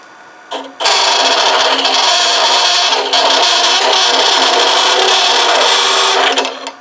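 A harsh buzzing hiss with a steady low hum throughout the cut, the overhung hollowing tool chattering inside the vessel.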